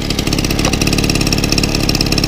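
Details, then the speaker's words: 1964 VAP 632 moped, 610 two-stroke engine, started without choke after refit: quick, even putter holding steady; idle set a little fast, clutch slightly dragging the wheel. "On voit qu'on est un petit peu rapide, on a tendance à entraîner légèrement la roue."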